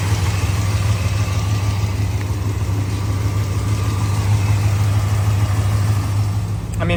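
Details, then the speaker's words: 1966 Ford F100, 390 FE big-block V8 with C6 automatic, straight pipes into small mufflers, odometer 36,000 (true mileage unknown): big V8 burble at idle with an even, steady lope, no misses or knocks; runs smoothly. "Um so listen to this thing. Oh man. Dude, it is smooth."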